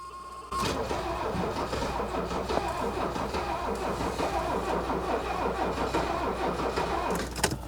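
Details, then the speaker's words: Mercedes W126 300SD with replacement diesel engine of unknown mileage, sat about 10 years, no glow light and glow relay doubtful: long uneven lopsided cranking, about three pulses a second, no start; weak compression on one or two cylinders. "a couple things you probably noticed right away that we've got one or two cylinders that have pretty weak compression you hear that cranking over and you can hear that runner around which indicates weak compression"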